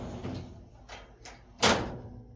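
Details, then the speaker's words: Unbranded five-drawer black lateral filing cabinet, possibly HON, after a drawer is reinstalled: rough, scratchy swishes as it is pushed along, ending in a thump. The slide rail drags, likely from dirt or lack of lubrication. "So it sounds like the rail's a little dirty or needs some more lubrication. It's kind of scratchy."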